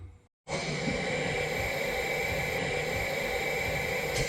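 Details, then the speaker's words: Air hose reel after replacing the swivel O-rings: loud, steady hiss for four seconds, still leaking badly; the worn plastic bore the O-rings slide into is the suspected cause. "As you can hear, it's still leaking quite badly. The problem is the bore that these O-rings slide into is made out of plastic, and that is also worn out."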